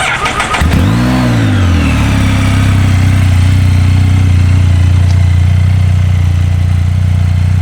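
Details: 2015 Can-Am Spyder F3, Rotax engine, 13,867 miles: starter whirs briefly, engine catches and settles into a steady, even low idle with no knocks or rattles; sounds healthy.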